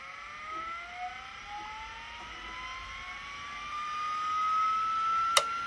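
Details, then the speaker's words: 1980s 5.25-inch vintage hard drive spun up with cover open: thin whine climbing steadily in pitch, never settling; spindle running too fast, servo speed control or heads suspected, not confirmed. "Okay, there's something wrong with the servo or what? What's going on?"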